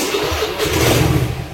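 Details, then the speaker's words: Carbureted Honda Vario scooter, morning cold start: stumbles to life unevenly, surges, then dies; once running, rpm hunts up and down. Owner suspects the carburetor choke. "kalau yang pertama tadi adalah jok jadi dinyalakan susah seperti ini ini posisi pagi ya Saya nyalakan ini agak susah ya"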